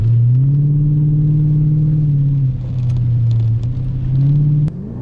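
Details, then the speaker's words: 2001 Mercedes W210 E55 AMG V8 on a rainy drive after fixing a months-long intermittent misfire: deep, even pull rising and dropping cleanly through the shifts with no stumble or miss; normal acceleration. "well it might be a little bit of a rainy day but that doesn't mean we can't have a little bit of fun thing runs so good"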